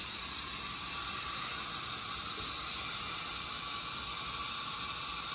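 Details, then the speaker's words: 355 ci small-block Chevy built for 7500 rpm, engine off, leak-down test with air pressure in the cylinder and the crankcase exposed: steady even hiss, mostly heard from the crankcase; air leaking past the piston rings. "it sounds mostly like it's coming from the crank case but we'll see what we got here yeah it stayed about the same so most of it's coming from the crank case"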